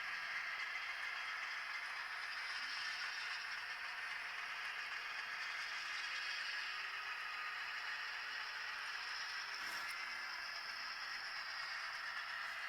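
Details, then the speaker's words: Broadway Limited Imports N-scale SW7 locomotive after greasing, previously grinding; quiet, even high-pitched whir with only a faint light rattle and no grinding; running much better, normal running. "Now, okay, so now having greased the locomotive, you'll notice that that terrible grinding noise has all but stopped. And you'll notice that my locomotive is running much better."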